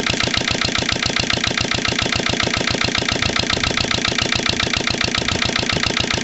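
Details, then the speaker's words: Lister LD1 single-cylinder diesel on a chilly 5–6° morning after a fuel filter change: steady rapid knock, fairly even now after two heavy loads but harsh firing, no longer stalling. Rough running; owner still suspects the injection system. "but I reckon we still got a problem with the uh the whole inject sy's not quite right"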